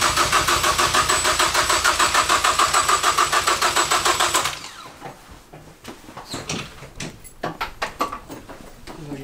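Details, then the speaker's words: Freshly built Focus ST engine after a swap, cranking to prime oil pressure with break-in oil, not yet started: even starter cranking at about three pulses a second, equal compression beats, no fire; healthy compression. "The engine's turning over. Yeah. Yeah, it has compression."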